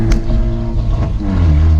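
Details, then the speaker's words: Ford Mustang EcoBoost with turbo kit and catback exhaust, resonator tips removed: deep, booming low drone that swells with revs, with a loose rattle over it; very loud on the interstate and poor-sounding at low RPM. "So the main thing was that when I was driving on the interstate, it just sounds terrible. Like, it's not that it's terrible, it's just super loud."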